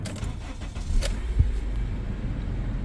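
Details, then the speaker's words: Engine start right after cleaning and greasing the battery terminals. Key rattle, a brief crank that catches at once, then a smooth, even idle without stumbling; it starts easily with no hesitation. "it starts up very easily, no hesitation. So looks like we did a really good job, guys."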